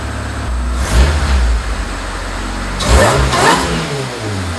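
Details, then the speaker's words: Supercharged engine with 8 lb flywheel, stage four clutch, race header with block-off plate, freshly heat-wrapped intake and header: catches and settles, two crisp blips with no misfire or knock; revs up fast, healthy. "as you can hear sounds really good really healthy it revs up super fast especially with the supercharger the eight pound flywheel stage four clutch"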